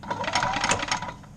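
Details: Gas-powered golf cart after repair, contacts cleaned, in neutral pressing pedal: quick, even whirring clatter as starter-generator spins the small engine steadily; normal, unhindered cranking.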